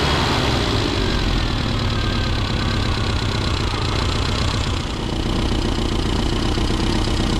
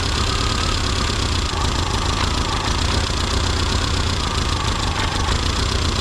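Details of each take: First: Classic Mini Cooper RSP after ignition timing set at 1500 rpm with vacuum disconnected, then readjusted: steady, even idle with a crisp regular beat, no misses or knocks; running better before mixture leaning. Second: Classic Mini Cooper RSP during tuning, distributor twisted anticlockwise: steady low idle with a dull, labouring beat that sags and won't pick up; ignition timing retarded too far.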